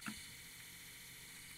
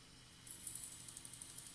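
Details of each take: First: Tascam 244 cassette portastudio transport after noise-reduction steps on the capstan flywheel area: soft, even mechanical hiss and faint whir with no knocks or flutter, considered normal audible running noise. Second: Tascam 244 cassette transport running: fast, even scraping ticks, about four a second, over a hissy whir; the capstan flywheel's top surface rubs the brass plate, from too much leeway or a warped plate.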